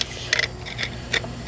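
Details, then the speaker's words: Tractor that won't start, with a new battery and the starter jumped directly: a few sharp isolated ticks and no cranking; the cause proved to be a faulty relay switch. "I heard a tick once but nothing that should spin unless it's been a starter nothing nothing"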